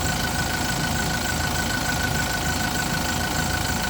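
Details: Yale diesel forklift after a crank-no-start repair (ran about 5 seconds then shut off; owner had checked fuel and pump), running after a boost start; steady diesel clatter at idle with even beat, no misfires or stumbling; normal idle.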